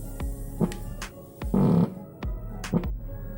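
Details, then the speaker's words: Sharp TV whose red LED lights and then goes off repeatedly: a low hum with throbbing bursts and clicks, not from the speakers, as the power supply cycles in and out of protect mode. "lampu LED nyala merah lalu mati dan berulang seperti itu lagi ya terus ya disertai suara-suara aneh ya Ini bukan dari speakers keluar suara aneh"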